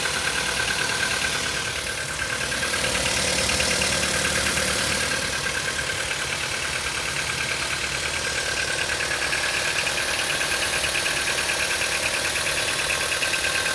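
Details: Cold-idle knock on a CFNA engine: a light, fairly regular knock about twice a second over a steady engine hum; the source is unconfirmed and needs teardown.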